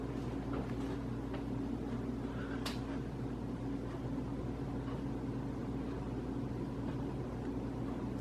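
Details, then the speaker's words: Casablanca Hampshire ceiling fan, bought 2007-2008 and installed about five years: steady low hum with gritty grinding, louder in reverse; blades tight, no visible rubbing; cause unknown. "it definitely seems a lot louder on reverse hear that is kind of grinding"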